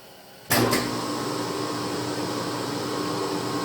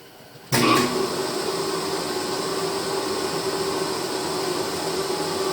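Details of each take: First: 10 HP phase converter idler motor after being opened up and repaired to stop its squeal; it kicks on with a thump and settles into a smooth, even hum with a faint steady tone, no squeal. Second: 10 HP rotary phase converter idler motor powering a shaper, originally very quiet: starts with a steady hum, then a high, continuous squeal settles in over the run; motor squeal.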